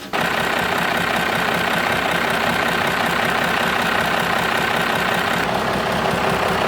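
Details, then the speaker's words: 12-valve Cummins after killer dowel pin (KDP) damage repair and timing cover replacement, first start to check for leaks; steady even diesel clatter at idle, no misses or knocks; normal diesel idle. "So yeah, this baby's pretty much ready to go. Just gonna fire it up and check for leaks."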